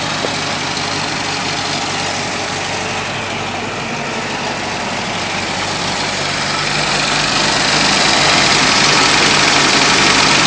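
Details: Datsun misfire: at idle the engine pulses about four times a second with an uneven, loping beat under a hissy background, sounding like a misfire.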